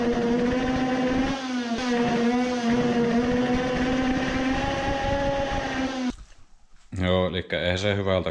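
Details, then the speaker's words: 50cc two-stroke racing moped after swapping to a smaller 100 main jet: high revving note wavers then breaks into ragged sputtering, revving more but misfiring worse; later found the carburetor isn't the cause and the spark plug was worn loose. "my ears were just fooled it is revving more but misfiring even worse"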